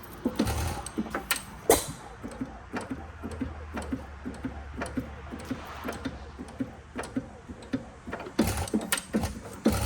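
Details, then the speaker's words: 5 HP Sattley hit-and-miss engine after fitting rubber/foam pads: most of the chatter is gone, leaving light steady knocks between firing pops from slight rod knock and a faint push rod slap. "Now, almost all of the chatter is gone. All you can hear is that little bit of rod knock that I mentioned at the beginning of the video, and just the ever so slight push rod slap."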